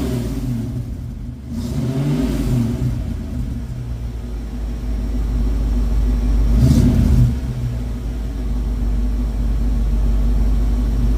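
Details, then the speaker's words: 1972 Ford Mustang Mach 1 V8 with the stock original cam, warm start after running earlier and a coolant top-up: smooth, even idle with two clean rev blips that settle back without miss or knock. Normal idle, runs nice. "You can hear again how boring it is with the stock cam, but man, does it ever run nice."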